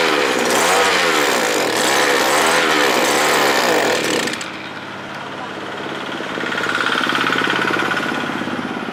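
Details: Small two-stroke earth auger engine, previously stalling when throttled, after fitting replacement carburetor from a sprayer: revs up and down cleanly, then smooth even idle; normal running after repair.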